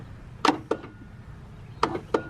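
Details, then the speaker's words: Husqvarna riding mower, blade PTO electric clutch tested with jumper cables attached: sharp switch and relay clicks show the clutch circuit has power. It failed earlier while running without jumpers, and an old, weak battery is suspected. "When I went to hit the uh the blades, the electric clutch, nada, nothing. However, I've got the jumper cables hooked up again. Take a listen. First off, you're going to hear a click."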